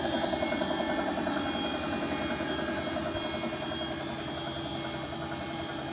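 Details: Bosch WFP3300 Hydro Sensor washing machine, heavily limescaled, descaling run with two dishwasher tabs on hot water, ramping to 1600 spin: rhythmic knocking about 3–4 per second over spin roar; owner wonders if bearings, cause unclear.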